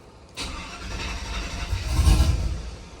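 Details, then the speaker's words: Truck after a cam swap running the factory tune, still learning idle airflow: cranks, catches roughly, then sags and fades. It won't start or hold idle without throttle and must be given gas, then eased off. "Nope, I'm gonna have to give it some gas to help it start and slowly let go for it to idle."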